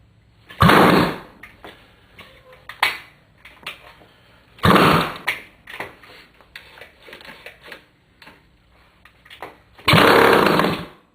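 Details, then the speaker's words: Yamaha CT175 two-stroke, first start in 35+ years, kick-started and hot-wired, with cleaned carb and points, new plug, makeshift tank, no air filter and no exhaust. Three very loud open-port bursts with kicking between; it fires but won't keep running. "well you were there when it happened I don't think this bike has been ridden or started for 35 plus years now"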